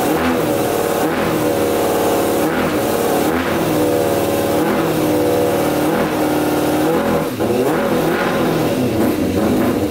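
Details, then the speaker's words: 100hp custom Yamaha Banshee two-stroke quad after freeing carburetor on the two middle cylinders, which weren't getting fuel; crisp, even revs rise and fall cleanly, all pipes hot, every cylinder firing; normal running. "all right that sounds a lot better um let's just check the uh pipes and see if they're hot that one's hot that one's hot yep they're all hot every cylinder is running so that's awesome"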